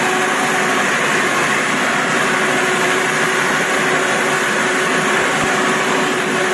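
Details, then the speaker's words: Samurai rotary mower running in third speed: loud steady droning hum with a fixed mid-pitch tone over a constant engine roar; chain-driven rotors sound alarming, but this gear and chain hum is normal. "Косилка страшная, гудит она страшно, но не надо этого бояться."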